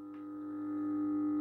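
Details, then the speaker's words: MAZDA Coccinelle street lantern, 1988-1996, 125W E27 mercury lamp, 220V 50Hz, ferromagnetic ballast with capacitor, warming up from pink to white: steady low mains hum with buzzing overtone; normal ballast hum. "Alors là, on entend bien le bruit du ballast déjà."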